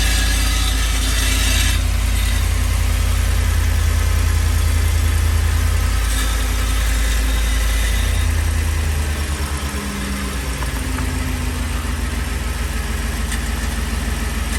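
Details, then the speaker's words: 2010 Ford F-150 at startup settling into idle: tinny metallic buzz; loose exhaust heat shield because its clamps rusted apart, fixed by replacing the clamps. "it is very common for the heat showed clamps to rust apart and then you get that metallic sound that you heard at the beginning of this video"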